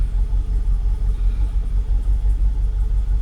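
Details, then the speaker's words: Jaguar XKR (X100) with intermittent rough idle, cam sensor suspected: started normally and idles smoothly with an even low rumble and no restricted performance; revs begin dropping slightly afterward. "look at that it's idling oh my God what is going on no restricted performance nothing and it started normally"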